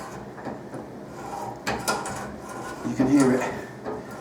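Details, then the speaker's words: Hand die cutting a thread down a metal rod, greased (not bone dry): sharp irregular cracks in short bursts as the die is worked forward and cracked back on itself, chips breaking off; normal thread cutting, still stiff. "So just keep working it up and down, get back to the cutting face, and then cut a little bit more and back on itself. So that's the process. Keep going forward and keep cracking back on itself."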